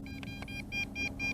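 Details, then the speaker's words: MJX Bugs 3 Pro GPS drone during distance test near 1 km: rapid high-pitched transmitter beeps in short bursts, about four a second, while the drone does its failsafe return-to-home and control can't be retaken. "so there we go we're headed back and it is doing the failsafe return to home at the moment"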